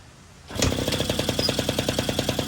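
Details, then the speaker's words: 1980 Yamaha Champ 49cc oil-injected two-stroke scooter after new cylinder and piston kit, revved by hand because throttle broke: catches at once, quick even popping beat with steady buzz; runs healthy, throttle needs replacing. "it revs it up but I gotta take the throttle apart down probably buy a new throttle or something but uh yeah she runs"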